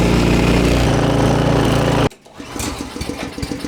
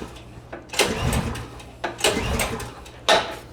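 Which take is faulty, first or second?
second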